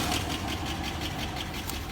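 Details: 1996 GMC 1500, little run since 2016, idling: steady light tick about six per second over a rough idle, owner thinks it got worse; slight smoke, overheating and not charging; cause unclear.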